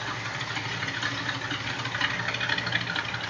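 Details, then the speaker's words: 1963 Chevrolet Impala SS V8, warmed up, timing and dwell adjusted by owner: a slightly uneven, loping idle whose lump rising and falling in the exhaust becomes clearer once warm; owner unsure about the cam. "got a little bit of a Loke to it um especially once it settles down you can really tell once it warms up you can really tell that it's got a little bit of a lump to it"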